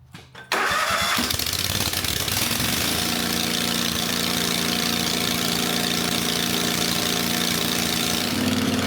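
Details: Country Clipper Boss SR1200 zero-turn mower engine, freshly refilled with oil, coolant and gas, muffler removed to check for coolant leaking into the system: catches after a short crank, runs loud and uneven, beat never settling; rough running, cause unconfirmed.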